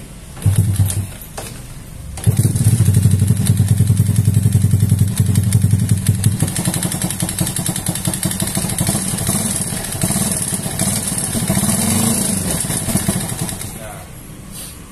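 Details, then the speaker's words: Yamaha Jupiter with an R15 v3 piston, BRT CDI and BRT connecting rod, over-revved in third gear: uneven knocking clatter at about 3.5 beats/s; owner hopes it is a broken cam chain tensioner rather than the connecting rod. Unconfirmed. "pas ditarik dia bunyi k gitu kemungkinan Tensioner mudah-mudahan Tensioner patah bukan stang seher"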